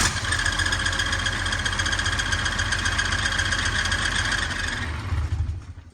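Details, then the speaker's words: 1986 Ford F350 with a swapped 5.9L 12-valve Cummins idling: a thin, steady high chirp over the diesel clatter until shutdown; diagnosed as the clutch throwout bearing, and the transmission must come out. "so KJ checked this noise out this afternoon and found out that it is the throwout barar"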